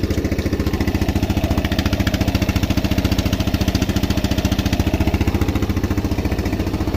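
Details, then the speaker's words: Used Yamaha Jupiter Z bought in poor condition, at idle: a sharp even tick on every beat plus an exhaust chuff. Suspected head or cover (cam/rocker) wear, clutch damage and an exhaust leak; the piston will be replaced. "terus dari suaranya tadi kemungkinan besar itu ada masalah sedikit di bagian head atau di bagian deksel ya itu biasanya kalau Jupiter ini"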